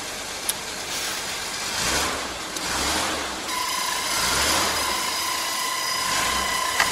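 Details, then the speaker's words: Car blower fan switched on: a thin steady whine with a rough edge over the airflow that tends to fade after a few seconds; the blower motor bearings are dry and need oiling. "That noise tends to go off after a few seconds. The bearings need oiling and..."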